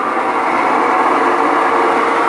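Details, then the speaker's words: Imported Electrolux LTD 11 kg washing machine running: loud, steady rough roar and grinding from a worn drum bearing and worn drive/wash shaft. The whole mechanism needs overhaul. "aqui é barulho na mecânica rolamento já foi pro saco eixo da sempre fundação já flexaco e eixo de lavagem também"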